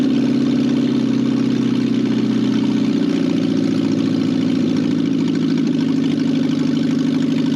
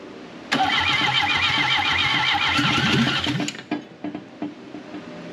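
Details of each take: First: Barn-find 1968 BMW 1800 four-cylinder being revived after sitting: steady, even idle with a smooth low hum and no knocks, misses or hunting; runs cleanly. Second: 1968 BMW 1800 barn find, carburetor full of fuel, oil added, helper working throttle: fast steady cranking about four beats per second for three seconds, pops once but won't run; owner suspects flooding, crank no start.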